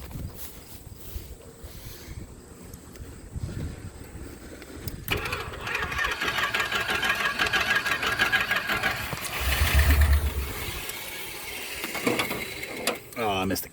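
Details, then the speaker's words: 1976 Chrysler Newport, first start after sitting about 8 years, sticky throttle linkage: cranking whirr, then a few ragged coughs and a brief uneven catch on starting spray that fades out; sputters and won't keep running, cause unconfirmed. "but yeah so she sputters and she farts"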